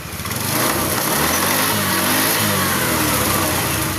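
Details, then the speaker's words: Honda Beat FI scooter after replacing the spark plug and a new part, previously sputtering and stalling on start: engine now starts, runs steadily and climbs cleanly in pitch on throttle, sounding healthy. "Nah, setelah pergantian rotak baru, motor bisa menyala dengan baik. Kita on-off-kan. Kita start. Motor sudah hidup."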